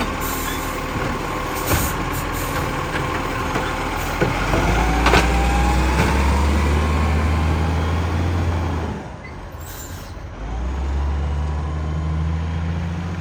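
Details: Garbage truck 2010 with a severe exhaust leak: loud diesel with a hard rhythmic puffing rasp that rises with throttle, plus air-brake hiss.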